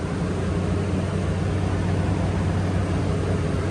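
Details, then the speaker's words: Toyota Tundra after alternator replacement (battery not charging), coolant refilled, skid plate off: engine started, battery light went out instantly; steady, even low drone with no knocks, ticks or whine, smooth healthy idle. "Let's go ahead and start her up. Moment of truth, guys. Battery light gone instant."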